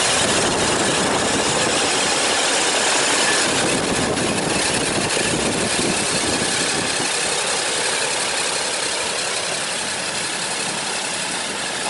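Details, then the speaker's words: About 42-inch belt-driven scrapyard fan, revived and fitted with a pulley change, now spinning slower. A steady, even rush of air with no knocks or wobble: normal running. "now J spinning a little bit slower still blasting quite a bit of air"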